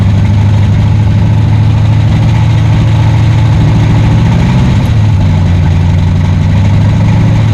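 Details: 1962 Cadillac hearse sitting 40+ years, fitted with a junkyard engine, first start after timing adjustment: deep, steady low rumble with even beat, no misses or knocks; idling smoothly, motor mounts need tightening.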